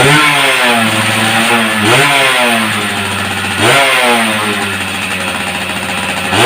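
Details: Yamaha F1ZR two-stroke fitted with a CDI Grand/Supra with modified wiring: catches, sharp rev blips rise and fall cleanly back to steady idle with no stumbling; former kickstart kickback gone, runs healthy.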